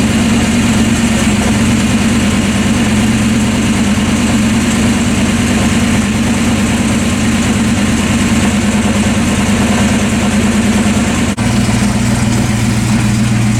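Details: Fox Body 5.0 Mustang after an accident, started after resetting the fuel pump inertia switch: loud, steady V8 idle with an even lumpy beat, no misses or knocks. Normal idle.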